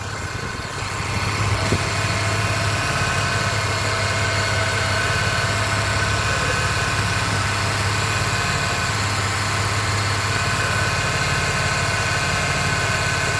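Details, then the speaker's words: 2008 Pontiac G6 3.5 at idle after bleeding air from the power steering pump: smooth, even low hum with a faint pump whir and no groan or whine. It sounds much better than before. "But it sounds a whole lot better, especially from the previous video I just did on this."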